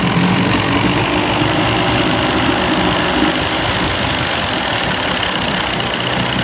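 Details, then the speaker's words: 1990s Evinrude 30 hp two-stroke outboard, after carburetor rebuild, old spark plugs still in: loud, steady idle with even buzzing beat, no misses or surging; running smoothly. "hopefully uh this thing will run better I mean it's it's running okay now though"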